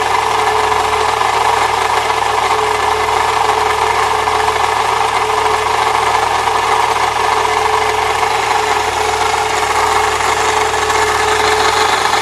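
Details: 1998 Saturn SL2 at idle with the A/C compressor bypassed by a shorter belt: a constant gritty scraping grind from the belt area remains, so it is not the compressor pulley; the next planned step is replacing the water pump.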